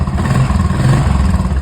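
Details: 2016 Royal Enfield Classic 350 UCE after replacing a faulty part that kept the starter motor, one-way clutch and gears spinning (misdiagnosed as crank bearings): even single-cylinder thump, no clatter — running normally.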